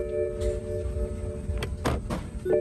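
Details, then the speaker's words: BMW E90 3 Series, engine running: normal warning chimes over low engine hum but no indicator tick even with hazards, though indicators flash; missing turn-signal tick, suspected speaker on the back of the instrument cluster. "doesn't tick. You can see the indicator working, flashing on the seat over there, but we get no tick."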